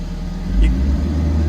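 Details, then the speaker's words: Excavator diesel idle suddenly revs up and holds higher as the chafed joystick wiring harness under the joystick pipes is wobbled; auto idle engaging as the EPPR valve under the cab gets current. Intermittent wiring fault causing rpm surge. "can you hear it revving up? That's the auto idle working, which means that the EPPR valve under the cab is getting a current."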